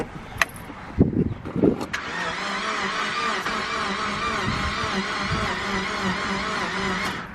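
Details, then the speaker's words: Car after radiator and fan work: starter spins the engine at an even, steady rate for several seconds without firing; cranks but won't start, owner suspects odd low compression, spark and fuel unchecked. "time we tried to start it did the same exact thing where like it almost sounds like as no compression in something weird"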